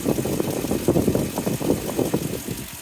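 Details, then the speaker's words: 2003 Toyota Tundra 4.7 V8 (2UZ-FE) after timing belt replacement, heater not blowing: rhythmic whoa-whoa whirring pulse about four times a second at idle; owner suspects a pulley, unsure if normal or related. "Definitely like a little bit of a weird sound. It's almost like a some like a pulley or something like whoa whoa whoa whoa whoa. Could be totally unrelated though."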